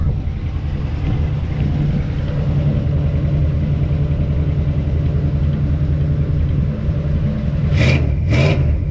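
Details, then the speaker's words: Jeep J20 V8 truck after a Holley Sniper EFI install with new headers, new exhaust and an O2 sensor: deep, even burble heard at the rear, running smoothly and solid; two exhaust leaks remain at old emissions fittings. "first yeah sounding good looking smooth so we just have two exhaust leaks from the uh old the mission stuff"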